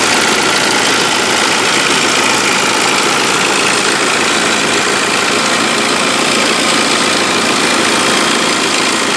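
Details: Saab 9-5 warm idle with a fast, even metallic rattle from the pulley area. It starts after 3-4 minutes and grows. Compressor bearing, water pump, idler pulley and upper timing chain rail already replaced; owner fears timing chain (measured 17mm, not stretched). Unconfirmed.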